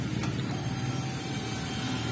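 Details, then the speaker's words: Honda Beat FI V1 scooter with misfire and backfire but no engine error code; ignition switched on, camera close to the fuel pump: steady low electric hum, even and without catching, fuel pump priming normally, no problem. "Ayun, okay. So umaandar, no? So walang problema yung fuel pump."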